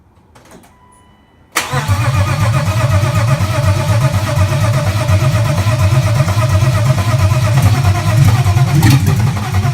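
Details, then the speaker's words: BMW M50B25 inline-six in a 1995 E36 325i donor, exhaust removed so running straight off the headers, before a compression test: starter catches into a loud, raw, evenly pulsing idle with light blips, revved under 3000 rpm; normal running. "and another thing that exhaust is off so this is straight from the headers it's going to be loud"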